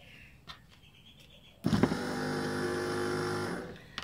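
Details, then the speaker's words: Ford XC Fairmont GXL power window motor bench-tested during restoration: rough buzzy whine with slight chatter, noisiest of the motors; suspected dry bearings, to be disassembled. "one's clearly the noisiest of all, this one here. So I think we might pop him apart and have a look and see if we can figure out why she's so noisy. Might be a bit dry on the bearings."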